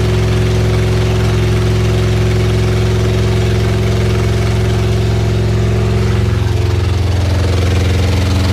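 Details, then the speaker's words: Supercharged Honda Integra with freshly rebuilt engine, first start after reinstall and oil priming, no exhaust fitted: very loud but smooth, even idle with deep steady throb and no knocking; normal idle. "it's running I don't hear any knocking I don't hear any knocking it's loud but I didn't hear any knocking from the engine"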